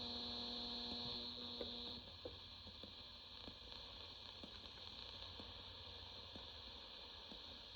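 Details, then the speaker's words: General Electric 7-2930D portable radio, AM band indoors near electronics: a steady hum under a high whistle with faint ticks about four per second. Poor AM reception, owner blames being indoors. "Because I'm inside, I'm not getting very good AM reception. Could be better."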